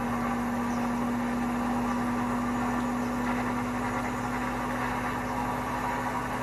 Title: Hotpoint bad bearings ramp up to 1200 rpm